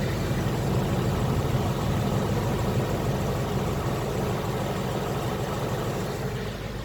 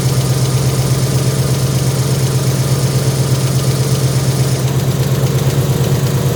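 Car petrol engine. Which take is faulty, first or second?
second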